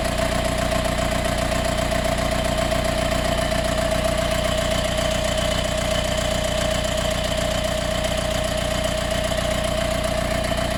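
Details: Mercedes B180 CDI W245 diesel, warm restart 15–45 min after a 15-min drive: even fast rattle about 2.5 beats per second with a thin whine begins ~30 s after start, like an extra fan turning on; disappears after 1–2 min driving; source unidentified.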